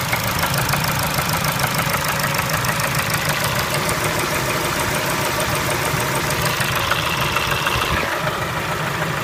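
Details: Engine knock at idle on a Kia Spectra: fairly regular knock about three per second over a steady idle; cause not pinned down.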